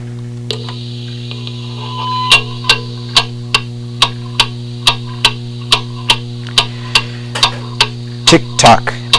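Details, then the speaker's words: Antique pendulum clock on a level surface, heard through a beat amplifier: ticks about every half second over mains hum, with tick and tock spacing slightly uneven, so the clock is slightly out of beat. "okay hopefully you can hear that that is slightly out of beat now as you get more familiar with how the deed is supposed to sound a regular beat sounds good to the year an irregular beat will make you cringe"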